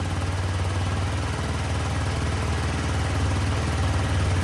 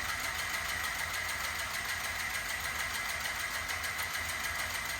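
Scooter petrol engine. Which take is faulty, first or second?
second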